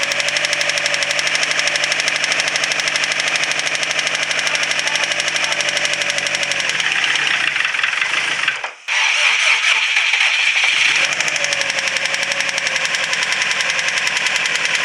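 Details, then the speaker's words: Subaru WRX STI at idle: starts fine but fast sharp ticking heard all over the engine with a stethoscope, revs sag and keep dying; ticking with unstable idle, cause not confirmed. "it starts up okay it seems like it idles okay it's got a severe ticking noise in it and then it keeps losing rpm and dying"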